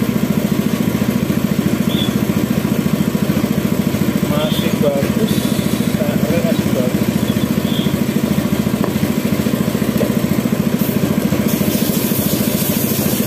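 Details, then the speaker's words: Yamaha F1ZR two-stroke after engine rebuild: hollow, flat idle with no punch, about three pulses a second; low compression from a cracked, previously welded cylinder head leaking at the spark plug. "bar tapi kenapa suaranya ngempos sekali ya teman-teman seperti enggak ada kompresi mungkin penyebabnya cuma ini teman-teman"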